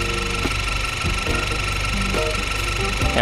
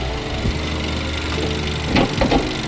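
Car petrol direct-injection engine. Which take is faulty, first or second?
first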